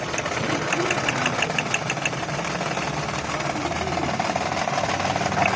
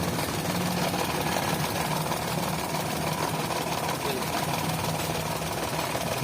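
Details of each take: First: 2011 Toyota Vitz after the cylinder 3 misfire (P0303) fix, with the injector pulse wires reconnected correctly. Light ticking over a steady, mid-pitched idle with no stumbles or missed beats; the engine idles evenly. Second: 2011 Toyota Vitz at idle with code P0303 and a blinking engine light: rough, uneven idle with a stumble in the beat. Cylinder 3 is dead because its fuel injector pulse wires are swapped in the connector.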